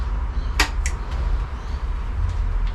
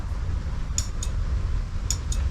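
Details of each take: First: Honda Scoopy (Metropolitan) scooter, key turned on after the carburetor rebuild: a click, then a faint steady high hum as the electric fuel pump primes the fuel system. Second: Honda Scoopy (Metropolitan) scooter that kickstarts but won't start on the button: two sharp relay clicks with each press, low hum, no cranking; owner suspects failed starter relay, planning to tap it.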